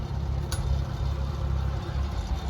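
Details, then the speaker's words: Oliver Super 77 tractor engine idling: slow, steady low idle with even beat, a couple of light metallic taps in the background; normal idle. "as you can hear the super 77 is just idling along"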